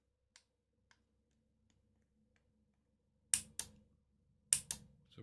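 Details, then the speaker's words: Hospital bed control board under repair, powered on the bench while the controller is pressed. One relay snaps in and out with each press while the other relays stay silent and do not switch. The remote is doubted as the cause, but not ruled out. "still just getting that one relay going i don't think it's the remote or is it"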